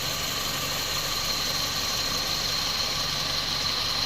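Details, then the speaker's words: Toyota Vios 2007 at idle with AC running, after compressor replacement, system flush without removing the evaporator and a new filter-drier and expansion valve; original belt kept. Steady idle under constant fan hiss, no knocks or squeal; AC normal. "หลังเปลี่ยนคอมแอร์ล้างระบบโดยไม่ถอดตู้แอร์นะครับไอเย็นตัดต่อปกตินะครับใช้สายพานเดิมนะครับ"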